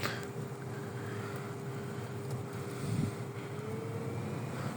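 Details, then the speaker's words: Citroen C4 Picasso interior blower, new blower motor fitted after the old one failed, engine running: even, steady rush of air with faint constant hum, no rattle, tick or squeal; blower runs smoothly and quietly at full speed. "Nice silent fan on maximum speed as we reduce the speed."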